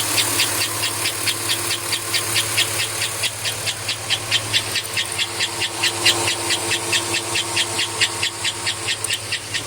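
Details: 2005 Chevrolet Avalanche at idle: loud sharp chirp repeating about twice a second over the steady engine; cause unknown.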